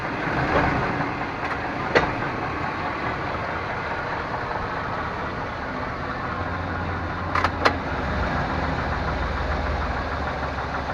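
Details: 1998 Chevrolet Suburban K1500, 5.7L, 4L60E automatic, 177k miles, in 2WD: sharp single clunks with an engine-load shift when moving between park and drive at idle. Driveline clunk of unknown cause; it also sometimes clicks driving uphill.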